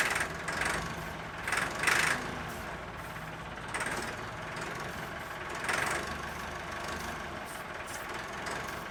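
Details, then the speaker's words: Late-1980s/early-1990s Massey Ferguson 50H backhoe, 4-cylinder Perkins diesel, long-sitting: runs with no knock, tick or bang, just a few uneven rev surges; fuel not fully primed, air in lines suspected; engine sounds good. "At least now we know the engine does run. It sounds good"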